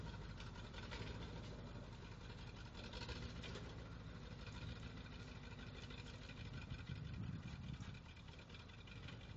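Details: 1979 Ford F-250 that sat unused for 12 years: low, lumpy idle that never settles, with an uneven rumble and shake. The engine is idling rough.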